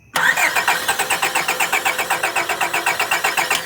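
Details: 1998 Honda Accord after a spark plug change, with fuel reportedly getting through: the starter spins the engine at an even four beats a second for several seconds but it never fires; crank, no start.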